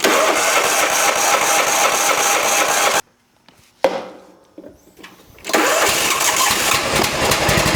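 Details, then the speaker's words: John Deere lawn tractor with a crank-no-start fault, after fuel filter and fuel pump checks with the pump outlet reconnected to the carburetor; the small engine catches quickly and holds a steady, even fast idle, running normally. "Hey, there we go. [Applause] All right. So, there you go. We got a running driving. Well, hopefully driving tractor, but at least I know it runs."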